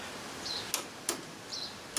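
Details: Sanyo Betacord Betamax deck with a tape inserted: sharp light clicks roughly every half second between faint mechanical chirps; the threading mechanism doesn't move to wrap the tape around the heads.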